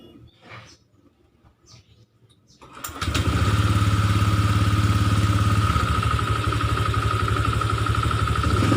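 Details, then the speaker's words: Honda Vario 125 scooter running with a loud, rough snoring growl; the radiator fan is rubbing against the fan cover wall, possibly from loose bolts, and the fan is sanded down to fix it. "Ini kita amplas kipasnya, karena kalau enggak bagian baut-bautnya kendor, ada yang kipasnya gesrek atau bersentuhan dengan penutup kipas, dinding penutup kipas."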